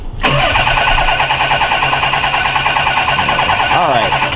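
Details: 1990 Nissan 300ZX cranking after carb cleaner sprayed into the throttle bodies, fuel pump earlier measured 30 psi, now reads 40 psi then drops off: steady quick cranking about three beats a second, four seconds, never fires; cranks but won't start, owner concludes it's not fuel.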